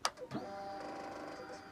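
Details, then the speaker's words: Suzuki GSX-R K2 race bike project on a new gel battery, ignition switched on with a screwdriver. A sharp click, then an even electric whirr for a second or two: normal fuel pump prime before starting. "a good sign so the fuel pumps running"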